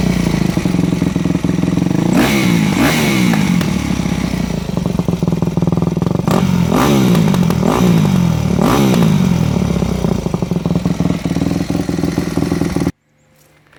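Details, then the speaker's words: Four-stroke MX bike with Keihin FCR-MX carburetor, revving and dropping back: sharp crackling exhaust pops on each throttle-off. The pilot fuel screw is adjusted too lean, starving the engine of fuel and making it hard to start. "right did you hear how much popping and carrying on i would call it coming out of the exhaust was occurring that means your fuel screw was adjusted too lean"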